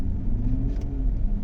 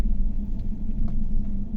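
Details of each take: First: 2015 GMC Yukon V8 running smoothly after a fix, live data shows zero misfires on all eight cylinders; earlier cylinder 6 misfired with a blinking check engine light, now cleared. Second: 2018 GMC Yukon V8 (also called 2015) at idle, flashing check engine light, codes P124D injector and P0300: deep lumpy uneven idle with dips and engine vibration, misfire traced toward cylinder 8; injector fault suspected.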